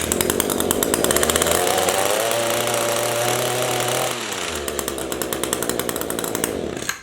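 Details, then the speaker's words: Echo HC-152 two-stroke hedge trimmer started on choke with a couple of pulls: it catches, revs up crisply, holds a steady buzz, then drops to a smooth, even idle before shutting off. This is a normal, healthy start. "So nothing unusual about that, nothing weird. That's how it should start. Nothing else should be required."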